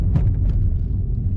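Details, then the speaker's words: 2004 Nissan Sentra driven over bumps; dull clunking rattle thuds, like metal-to-metal contact, above road noise from worn front lower control arm bushings, with both lower control arms to be replaced; lower control arm bushing clunk. "let me see if I can show you guys right now what what it sounds like you hear it kind of like a clunking rattle noise trying to hit some bugs"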